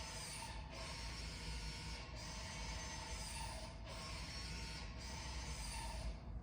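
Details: 2017 Ford Escape 2WD turbo electric parking brake, rear brake pad replacement, leaving maintenance mode; soft continuous motor whir with a light click about every 1.5 s as the rear caliper reapplies, operating normally.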